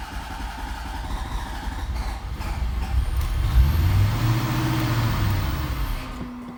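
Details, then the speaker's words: 1991 Corvette ZR-1 LT5 in neutral, clutch in: engine starts, builds to a low rumble, then dies when given throttle, as if starved of fuel; stalling from fuel starvation, fixed by fuel pump replacement. "it'll start then it dies there it's revving up now but watch this then i'm giving it gas and it quits"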